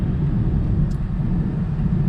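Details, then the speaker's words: V6 Mustang on a road test after repair: steady low engine rumble with road noise, smooth with no stumble; no check engine lights, repair successful. "Well, it appears I did fix the old V6 Mustang, and no check engine lights or anything like that."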